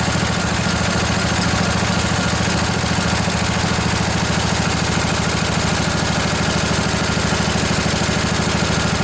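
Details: Briggs & Stratton Intek OHV twin (20-22 hp, model 40777) from a long-sitting junkyard Husqvarna riding mower, revived with new carburetor and minor service: even, low chugging idle holding steady, no misses or knocks; normal idle.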